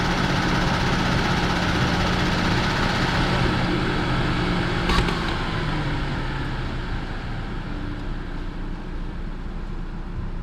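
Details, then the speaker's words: Used Genesis G80, about 70,000 km, no misfire and no fault codes on scanner, heard with engine bay open at idle: even, steady idle with a soft tick and no knocks, rattles or hunting; judged normal engine noise. "엔진 소음을 들어보시면 이게 정상적인 엔진 소음이에요 특별하게 뭐 다른 소음이 난다 라든지 그럴 경우에는 문제가 생기지만이 차량 지금 보시는 대로 정상적인 엔진 소음이라고 보시면 좋을 것 같고요"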